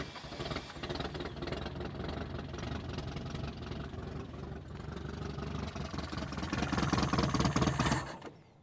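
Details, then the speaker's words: 1973 Toyota Hilux, 18R 2.0L 4-cylinder, off the road about 20 years: starter cranks steadily about four turns a second with gas poured down the carb, but engine never catches and no fuel comes from the line; no fuel delivery. "We're gonna pour a little bit more gas down the carb. I'm gonna fire it up and we're gonna hope to see fuel coming out of that line."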